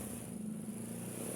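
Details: Honda Supra motorcycle engine after rebuild, previously would not rev when throttled; exhaust no longer smoking and oil now reaching the head, steady even note with smooth low drone and no knocks or misses, running normally before exhaust refitted.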